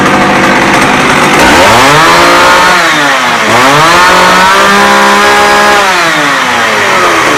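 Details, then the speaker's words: McCulloch 610 chainsaw after carburetor cleaning and high/low screw adjustment: two-stroke snarl climbs cleanly to high revs and drops back to idle twice, no bogging or stumbling. It runs well. "okay so basically I got it adjusted so it runs good revs up everything"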